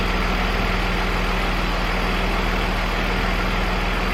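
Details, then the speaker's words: BMW E46 323ci, after diagnosing no-start and misfire, number one coil or spark plug suspected, revved in the car: even, steady idle with a regular low pulse and no stumbles or skips; no misfire. "no misfire you bloody beauty she seems to be round and smooth smooth"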